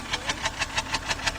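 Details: 2011 BMW 328i 3.0 that runs rough with code P0302 (cylinder 2 misfire), heard at the exhaust from behind the car at idle: steady chuffing pulses about six per second with slight unevenness from a cylinder dropping out.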